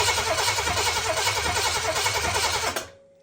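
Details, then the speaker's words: Oldsmobile 400 G big block, HEI ignition disconnected, fuel line into a gas can, cranking for about three seconds at roughly three pulses per second: an even starter rhythm. Normal cranking, and the fuel pump works (leak at the Quadrajet filter housing). "Let's just crank it and make sure we have a good operating fuel pump here. Good."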